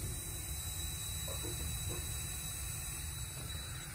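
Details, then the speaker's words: 2015 Bentley Continental Flying Spur with failed air suspension, compressor pumping: thin steady hiss over low compressor drone, air heard escaping from the top of the strut; owner pretty sure the strut is leaking, later replaced. "right now the compressor's pumping it's pushing in air and i can hear it escaping from the top of the strut so pretty sure the strut's leaking"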